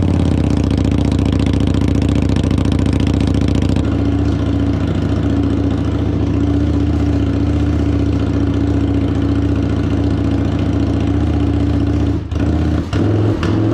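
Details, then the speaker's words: Harley-Davidson Street 750 (XG750) liquid-cooled fuel-injected V-twin, bench engine for a transplant, cylinder head hit in shipping, run briefly with no coolant: deep steady thump at even rhythm, no knocks or misses; healthy idle. "It runs. Super excited, super happy. This bad boy is going to make for a great transplant into a nice little project that we got coming up."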